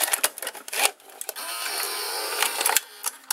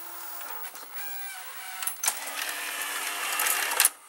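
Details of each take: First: Sanyo Betacord VCR-6100 that would not eject, after replacing the carriage belt under the circuit board: light clicks, smooth motor whir about a second, closing clicks; normal, clean tape loading cycle. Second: Sears Betavision Beta VCR model 30214, after idler tire and small belt replacement, 65% humidity: light uneven ticks over faint tape-transport whir as the tape plays; tape ticking, so a different tape is tried.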